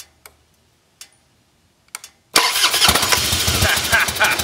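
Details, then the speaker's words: 2001 Harley-Davidson Fatboy Softail, carbureted air-cooled 88-inch V-twin, sat five years, first start after new petcock and carburetor/accelerator pump rebuild: a few clicks then fires instantly into a loud, lumpy but steady idle, no stumbling; healthy start. "Oh boy, that sounds good. Nothing like it."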